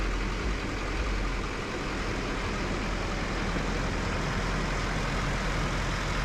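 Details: Duramax LML diesel, rebuilt with forged crank, DPS moly pistons, aftermarket harmonic balancer, first start after reinstall: deep steady even rumble, no knocks or rattles; normal idle.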